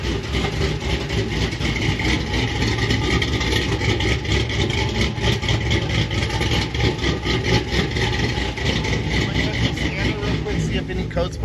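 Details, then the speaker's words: 6.0 Chevrolet Silverado SS after a Brian Tooley Racing Stage 4 cam swap, earlier start with a disconnected coil circuit and O2 sensors: loud deep lumpy idle that never settles; running kind of weird, cause suspected, not confirmed, codes cleared. "pop up because it's running kind of weird I cleared the codes"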